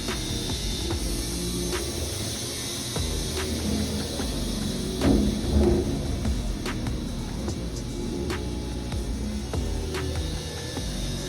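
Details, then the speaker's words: Wood-Mizer WM4500 bandsaw mill cutting an oversize log: steady hiss over the mill hum with scattered sharp ticks, blade pushing back and heavily stressed; bandsaw blade stress hiss. "You can hear it hissing though. Usually when them blades hiss like that, they're pushing back against the metal and really stressing the blade."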